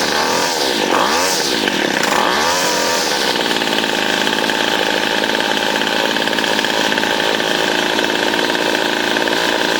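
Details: 25cc Featherlite string trimmer, two-stroke, low idle problem, after carb cleaning and new fuel lines: revs up and down unevenly then settles into shrill buzzy run; rough running, high and low mixture screws need fine tuning.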